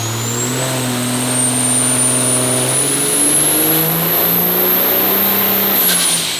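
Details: 6.7L diesel (D&J stage 3 head, second-gen turbo swap) on a dyno after fixing a pinched-boot intercooler leak, 893 hp: full-load roar, high turbo whistle climbing then dropping off at lift, no boost-leak hiss. Normal pull.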